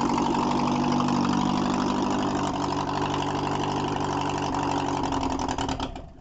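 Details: Moskvich Rila 1400 engine on the third start attempt after a rebuild catches and settles into a steady, even idle with a smooth firing beat and no knocks. It sounds healthy before shutting off.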